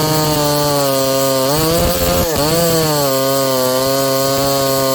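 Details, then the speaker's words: Ported and piped vintage Homelite 922 chainsaw cutting after leaning the high jet about an eighth turn in; high steady scream dips briefly as the chain bites, recovers quickly, strong clean pull. Owner suspects overlong fuel line causes position sensitivity. "i just leaned it out i gave the high jet about another eighth of a turn in seems to be pulling a little harder so"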